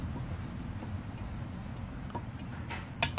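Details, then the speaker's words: Mercruiser Alpha sterndrive (the method also applies to outboards) during a lower shift cable test, shifting slowly from neutral: a few light metallic clicks, then a firmer clunk as forward gear locks in cleanly, with no rattling of the gear teeth. "lock that's perfect and what you want to do is keep shifting back backwards and forwards between the gears and make sure you never hear that rattling sound"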